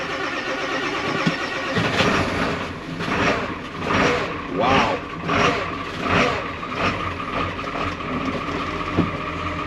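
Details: 1995 Ford 7.3 Powerstroke 5-speed dump truck, sat about a month, cold start at 11°F: labored cranking pulses for several seconds, then catches first try into steady diesel clatter; normal cold start.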